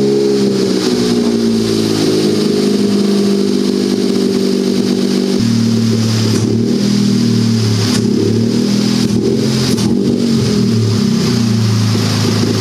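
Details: Turbocharged buggy, ice-cold start after setting the fuel level lag factor to 15 (maximum smoothing): fires and holds a steady idle, then clean throttle blips up and back with no stumble or stall; idles better than ever.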